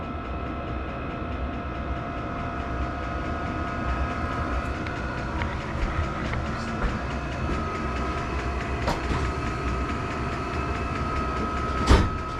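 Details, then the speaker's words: Vevor diesel air heater newly installed in a sea-can container knife-making shop: steady even roar with constant fan hum, no knocks or surging; running normally and blowing nice hot air. "She's blowing nice hot air, warm air."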